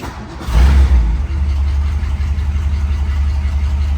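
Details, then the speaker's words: 1957 Ford Thunderbird, cold start after two pedal pumps with temp gauge on cold: catches within half a second and settles into a deep, steady, even rumble; clean, healthy cold start and normal idle. "it's just that easy this thing runs so [Music] nice"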